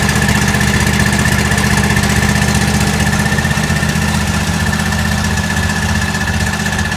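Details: John Deere L130 lawn tractor after a blown fuse was replaced with a new 20 amp fuse and the battery charged: even, rapid chugging around four pulses a second with steady hum, no stalling; engine runs healthy.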